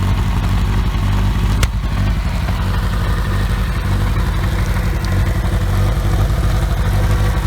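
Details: OMC 2.5 L 140 hp sterndrive in a 1981 Sea Sprite, started on water muffs after sitting, warming up: a steady, even low putter with no misses or knocks. Quiet, smooth, normal idle.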